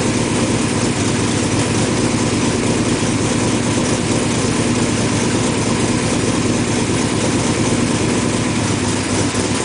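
Even, steady idle with no misses, ticks or stumbles across ten seconds; the engine is firing smoothly on all cylinders.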